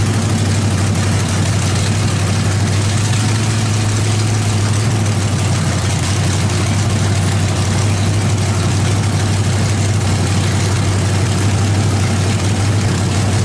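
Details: 350 small-block V8 with a cam fitted, freshly started on open headers after priming; loud, deep, steady rumble with an even lope, no ticking or knocking, sounds healthy, timing probably needs setting slightly.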